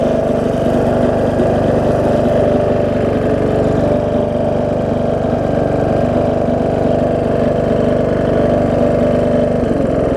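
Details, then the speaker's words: John Deere D110 mower, test run after an engine rebuild with a new head gasket: an even, steady chug with no knocks or misses, so it runs healthy. The owner notes possible oil leaking down the valve cover, or just residue burning off. "whoa i said seems to run good oh"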